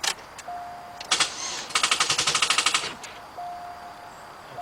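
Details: 2006 Chevy Cobalt 2.2, customer complaint of dragging crank and sometimes no start, battery in trunk, cause (alternator, starter or battery) not yet found: starter grinds through lazy, uneven chugs about three per second; slow cranking.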